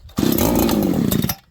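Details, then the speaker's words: Farmertec 288 kit chainsaw, warm, started on choke, low and high jets at 1.5, idle screws in, after a loose-flywheel ignition failure: catches with a harsh high-revving buzz for about a second then dies; starts then stalls, massive air leak suspected. "I think we have developed a massive air leak. Low jet's 1.5, high jet's 1.5. Idle screws turned in. Listen, this saw will start. Sometimes."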